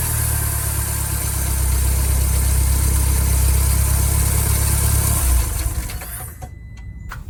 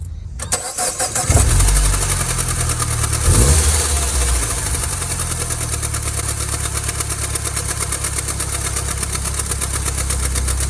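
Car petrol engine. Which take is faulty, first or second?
second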